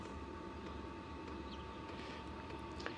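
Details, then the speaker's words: Diesel heater with sound-deadening foam added inside the case, switched down to low, microphone about 3 ft away: a very faint steady fan hum, barely above room noise. Normal quiet running. "Let's take it down to low. Yeah, that's not too bad. Can't hardly even hear it running."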